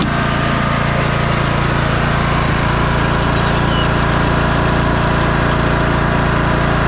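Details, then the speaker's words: 2004 MTD Yard Machines Gold lawn tractor single-cylinder engine after a carburetor cleaning (needle and seat good) and an oil change: a steady, even beat of about three and a half per second with no misses or hunting. It is running well. "yeah I'm very happy with the way it's running right now"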